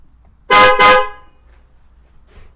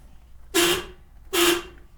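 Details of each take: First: Newly installed PIAA Racing Sport dual-tone horns replacing a weak failing horn, binaural recording; two loud clear honks with both tones together, then a third blast, horn works strongly. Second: Car's original horn, before replacement with PIAA dual-tone horns, binaural recording: two short honks, thin and raspy with little body, owner calls it wimpy and easily unnoticed. Weak horn.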